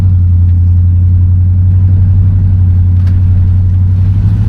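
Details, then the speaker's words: 1975 Buick LeSabre convertible, 350 V8, automatic, while cruising: deep, steady, even rumble with no knocks or misses; healthy V8 cruise. "And, as you can hear, she'll cruise perfectly with zero issues as well."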